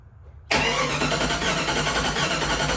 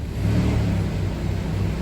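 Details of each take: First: Fuel-injected Jeep Grand Cherokee that sat for years, cranked before fuel pump delivery: about four and a half seconds of steady starter churning that never catches; turns over but doesn't fire, no fuel. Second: Jeep Grand Cherokee that sat for years, first start after a new fuel pump, fan shroud missing: a deep steady rumble swells smoothly as the throttle opens, with no knocks, misfires or squeals; normal revving.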